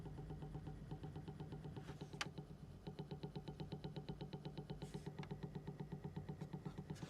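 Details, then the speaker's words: Electronic music device on the repair bench: quiet, evenly spaced ticking about twice a second over a low hum, with fan vibration felt; a worn cooling fan bearing is suspected, not confirmed. "To me, it sounds like a fan bearing. Unless he's damaged on the other side, which looks fine. It's a clicking sort of sound."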